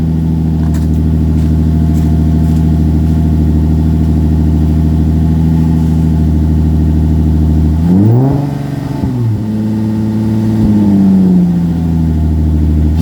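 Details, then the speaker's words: 2005 Infiniti G35 coupe petrol engine, run after sitting undriven about a year: steady, even idle for several seconds, then clean rev blips rising and falling smoothly; sounds good, normal idle and revving. "चलो इसे देखें देखें कि यह कैसा लगता है कि यह लगभग एक साल तक ड्राइविंग न करने के लिए अच्छा लगता है"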